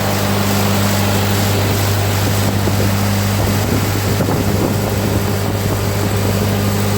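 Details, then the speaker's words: 1948 Ford 8N tractor four-cylinder, just started during rebuild after sitting, still waiting for oil pressure to come up: steady low drone, no knocks or rattles under wind noise; runs clean and healthy. "I told you this thing runs good. Just wait for some oil pressure. That'd be nice."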